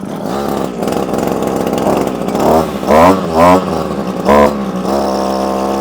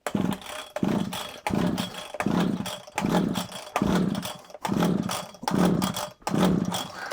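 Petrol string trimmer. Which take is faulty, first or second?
second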